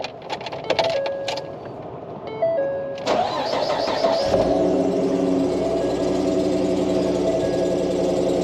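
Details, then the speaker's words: 2013 Ford F150 before water pump replacement: after the door chimes the engine cranks and catches, then a steady thin squeal rides over the idle and is getting worse. First thought to be an idler pulley, but owner thinks the water pump bearing is going bad. "So, making an ugly noise. And it's getting worse, obviously. So, I know you can hear that. Let me shut it back off again. Pretty gnarly sounding, Okay."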